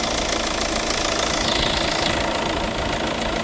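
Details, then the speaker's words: Hyundai i30 starting after the high-pressure fuel pump sensor was replaced for fault code P2264. It starts clean and settles to a steady, even idle with light regular injector ticking and no misses; no leaks, running normally. "You can see it's starting clean and fine, and everything is"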